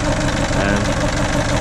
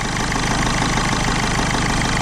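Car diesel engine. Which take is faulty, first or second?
first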